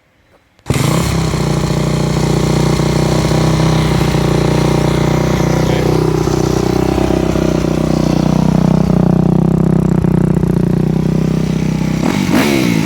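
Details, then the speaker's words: Four-stroke MX bike with a Keihin FCR-MX carburetor, pilot fuel screw turned back out: it idles high for about a second, then settles into a smooth, steady single-cylinder idle. The fuel screw is set properly. "okay ideally we want it to sound just like it did there where it idles high for just a second or so and then it drops back down to your normal idle that typically means your fuel screw is set properly"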